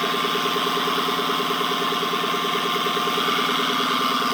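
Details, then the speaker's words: 2014 Dodge Charger Pursuit 5.7L HEMI, 5-speed automatic, about 116,000 miles: steady high whine over the idle heard from under the car at the driveshaft; owner first suspected the carrier bearing but now believes the U-joint. "nd too ghetto so right here is where I suspect the nois is coming from is that uh carrier bearing right there but it actually uh turns out I believe the noise is actually coming from that U joint"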